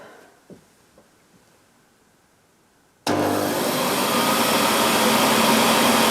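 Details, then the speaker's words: 1998 Hoover Alpina SC211 cylinder vacuum cleaner, used, cover off, switched on with exhaust vent kept away from microphone: sudden start into loud steady rushing whine, no surging or rattle; sounds a little different with cover off, runs normally. "sounds a little bit different but then the the cover's off"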